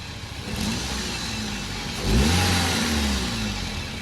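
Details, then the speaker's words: Toyota blipped from idle: dull thump as it revs, with vibration felt inside the car, from a broken engine mount whose rubber has torn; mount to be replaced. "इसकी mounting टूटी हुई है। ये mounting टूटी हुई है, तो ये बदल जाएगी?"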